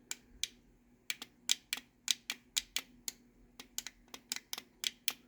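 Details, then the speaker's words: Older Chamberlain/LiftMaster wall button with two switches on the circuit board: each press of the door or light button gives a crisp double click, normal for this design. "you can hear two clicks when I push that."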